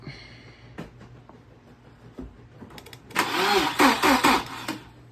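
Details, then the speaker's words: Fully rebuilt Volvo B230 engine with MicroSquirt swap, running on MAP sensor, restarted after a big fuel leak was patched: a few light clatters, then it catches and fires strongly for a couple of seconds. Clean start; everything sounds good. "Everything looks right. Everything sounds good. Go for a little bit longer this time so I can hear if all cylinders sound the same."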